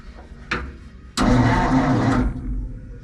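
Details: 1947 Ford cab-over V8 truck, unrun for about 60 years, after the starter wire was properly connected to block ground: short click, then strong, even cranking for about a second that fades cleanly; the starter now turns the engine over properly.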